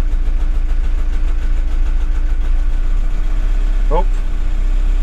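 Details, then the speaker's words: VW T5 diesel van just restarted after a fuel filter change (OEM 7H0 127 401): low, slightly uneven chug with a faint hum as air is drawn through from the new filter, then smoothing out; rough running from air in the fuel system. "just getting rid of the airs it's trying to draw in the air from the fuel filter and it's going you know"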